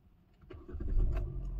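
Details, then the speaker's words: Hyundai car with low battery and check engine light, recharged, night start: brief quiet crank, then low rumble builds within half a second as engine catches and settles into steady run; starts, battery okay for now. "गई भाई हो गई ओए हो गई start हो गई भाई शुक्र है भाई बैटरी इसका मतलब अभी ओके है थोड़ी बहुत"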